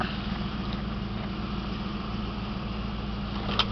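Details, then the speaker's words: 1988 Ford Mustang GT convertible, 5.0 L V8, 4-speed automatic overdrive, about 101,666 miles, mostly original, single exhaust. Steady, even low idle rumble with no misses, knocks or ticks; runs very well, a normal idle. "i'll turn on the engine so you can hear it there it is runs very well no complaints it has a single exhaust"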